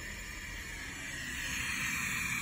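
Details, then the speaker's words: Two-pipe steam radiator with vacuum drawing air through the controller valve: steady, high, airy hiss with no knocking. This occurs only under vacuum, not in normal steam operation, and the valve is not perfectly sealed; harmless. "it doesn't do that doesn't make that noise a normal steam operation only with vacuum so don't worry about that"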